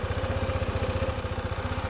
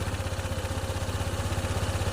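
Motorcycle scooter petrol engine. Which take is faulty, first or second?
second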